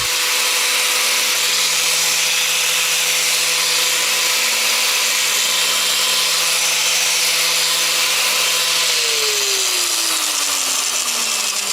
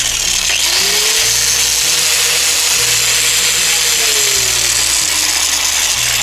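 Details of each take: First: Angle grinder running at a steady, even high whine, then switched off and winding down smoothly, after reassembly with fresh Litol-24 grease removed the play that had caused loud noise and heavy vibration. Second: Angle grinder running very loud with a harsh hissing roar and heavy vibration of the whole tool; cause is large play from a worn gearbox bearing.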